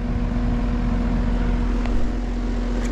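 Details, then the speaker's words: Home AC outdoor unit with no cooling (set 67, reading 87), compressor just humming: steady low hum with one faint bump, the compressor trying and failing to start; tech suspects a loose connection. "that sounded really weird like it bumped one time like it tried to come on yeah let's start with the basics and check this a loose connection can cause that compressor not to start"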